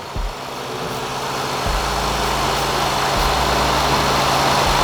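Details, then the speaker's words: 2006 Acura MDX petrol engine idling evenly while carb cleaner is sprayed around vacuum hoses; the idle holds with no change over the hiss, so there is no vacuum leak. "just like that and if you hear no change inside your motors idle nothing is wrong"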